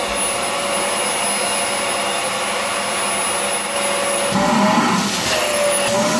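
Even, steady motor hum with a constant airflow rush and no whistle; the vacuum sounds healthy.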